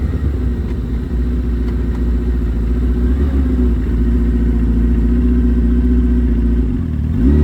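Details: Suzuki Hayabusa with fully built motor and wild cams, after cleaning clogged fuel filter: pitch climbs smoothly and evenly, now revving all the way through toward 11,000 rpm without stumbling, where before it stopped at 7–8,000; normal full-rev acceleration.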